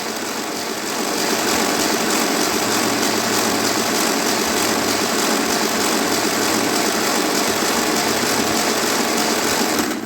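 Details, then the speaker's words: 1955 Ferguson TEA20 85 tractor from a junkyard, engine free after long storage: steady cranking about 200 beats a minute, even and free-spinning, turning over better now oil reaches the rockers; normal cranking. "And suddenly it turns over good too because it's not all dry."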